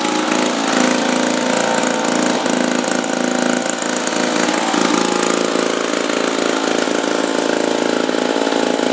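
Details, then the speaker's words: 1950s two-stroke lawn mower, apparently Wheel Horse (Dunlap name, horse head on the engine), running after 10 years stored on a wall. A crisp, busy two-stroke buzz at a steady speed with no misses or knocks; running smoothly and normally. "So, we got it running, 10 years. Like I said, I didn't try to start it ahead of time."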